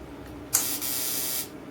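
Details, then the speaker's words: Plasma cutter test: screwdriver bridging the two torch-switch contacts at the machine socket, a click then about a second of steady air rush before it cuts off. Machine switches on normally. "you just get a screwdriver like so and just go across these 2 contacts, and you should hear the switch inside the machine turn on."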